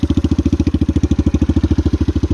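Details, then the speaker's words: 1981 Kawasaki KL250 single, probably still cold, idling after valve adjustment, aftermarket exhaust, smokes; fast even thump with possible valve clatter. "but i don't know it sounds like the valve noise is still kind of loud so i'll probably have to go back in there and check it just to be sure"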